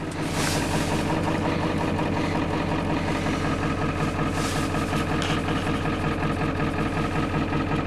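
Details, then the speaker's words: Ford 7.3L diesel at idle, cold start in the 50s °F: uneven, lumpy idle skipping about every third of a second as one cylinder drops out. Misfire at idle; suspected injector leaking high-pressure oil, worse as the oil thins when warm. "Hear it missing now. Well, they said one of the injectors are possibly leaking oil between their high-pressure injectors causing it to uh short out and uh kick it off because of the pressure of oil, which when it gets warm, oil gets thinner."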